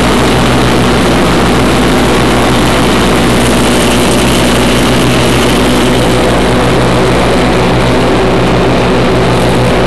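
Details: 1991 Craftsman GT6000, 20 hp Onan, first mow after deck lift eyelet bolt welded: steady, even low drone holding under blade load, no misses, surges or knocks; normal mowing under load.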